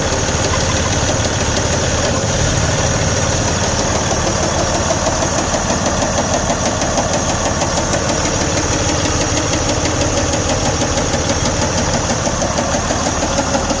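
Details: Detroit DD15 diesel truck engine running: loud steady knock about once a second over diesel clatter, with good oil pressure; diagnosed as a defective connecting rod bearing with bearing damage.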